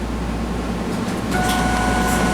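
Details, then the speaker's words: 2002 Camaro Z28 turbo install, new Walbro 400 in-tank fuel pump fitted, key cycled: thin steady electric hum starts partway and holds; fuel pump priming normally. "and you hear the pump run, so you know it's working."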